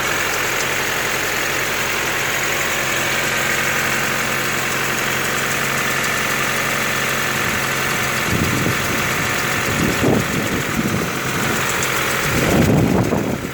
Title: Стук в двигателе Honda на холодную